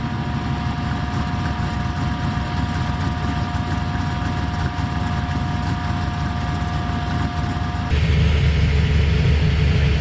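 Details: V8 Chevy S10 with new DIY 3-inch true dual exhaust, flux-core welded, TOTALFLOW 45264 mufflers, idle then revving: deep, even burble at idle, louder fuller note as it revs; smooth and steady, healthy.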